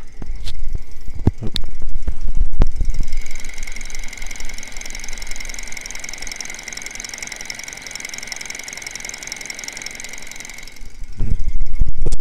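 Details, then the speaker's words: Small Stirling engine, warmed up, throttle fully open, driving a fan through gears, microphone held near it: soft steady whir with thin even high hum; spins slowly but runs smoothly, normal running. "Here, I can put the microphone near it so you can hear it. It sounds so cool."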